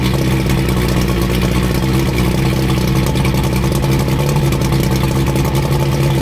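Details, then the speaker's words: 85 hp Evinrude outboard on a water hose after new head gaskets, new spark plugs and tightened hose clamps, after earlier overheating: steady, even note at fast idle with no misses, knocks or rattles; normal running. "We got a set of spark plugs in there. We got the engine purring like a kitten."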